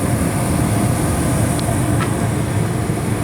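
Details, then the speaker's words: Newly installed upstairs Bryant 80% AFUE furnace, converted to natural gas. The main blower starts after a time delay once the burners light. Steady, even rush of air over a low rumble with no knocks or scraping; blower running normally. "So the burner started, and then after time delay, the main blower will start, which you can hear that started now."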